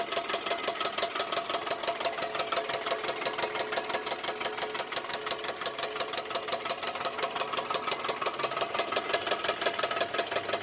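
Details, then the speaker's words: 2000 Toyota Camry: sharp, regular metallic ticking knock about three per second, quiet at rest but knocking when accelerating; car won't exceed 20 mph and smells of burning, owner unsure whether oil or belt; cause unconfirmed. "now it's not making noise but when I accelerate it starts making the noise"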